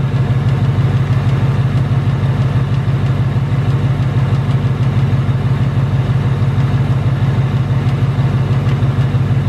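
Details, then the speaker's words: 2018 Ford Mustang GT Coyote V8 at idle: steady deep idle with a fast, even metallic tick and faint rattle underneath. Owner reports the known "BBQ/typewriter tick" plus rattle, not from direct injection, returned within the last two weeks; cause unconfirmed. "the 2018 not only does it tick it also rattles so I do have both I have to take and I have the rattle and there isn't no solution for it"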